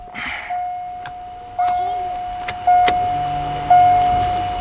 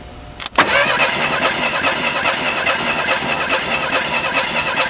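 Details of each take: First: Alright, let's prime this fuel pump up a little bit more. I don't think it's quite charged enough yet. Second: 1987 Ford Thunderbird Turbo Coupe sitting over 18 years: starter cranks steadily about two and a half beats a second for seven seconds without firing; owner suspects fuel pump not primed enough.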